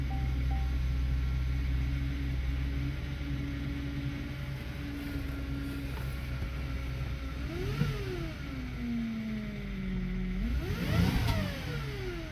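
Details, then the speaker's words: 2010 Chevy Traverse idling after valve cover replacement work: a steady idle whose tone sweeps down and back up as the wheel is turned; the power steering pump sounds awful, and smoke and an oil smell appear afterward. Power steering pump noise. "okay see if code comes back the power steering pump sounds awful"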